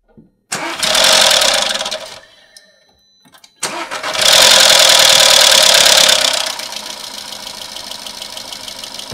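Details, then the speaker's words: VW 1.4 TSI/FSI with a worn timing chain, started after oil pressure was built up. It catches, stalls and restarts, then settles into idle with a loud metallic chain chatter that eases. The owner is unhappy with how it runs and plans thicker oil. "Pour normal, s'il y a un bruit à moteur et si le bruit de chaîne, il s'est un peu atténué parce que normalement, il devrait s'atténuer."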